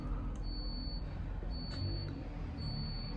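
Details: London double-decker bus (tagged Alexander Dennis Enviro400 MMC): a high, thin half-second beep repeats about once a second over the low engine drone. The previous driver reported the beeping and said it turns itself off; the driver fears losing all lights. Cause unknown.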